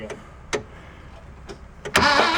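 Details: 1966 VW Beetle that sat about four years: a few isolated clicks, then the starter suddenly catches and spins after wiggling the starter wire; intermittent engagement, probably a loose starter wire.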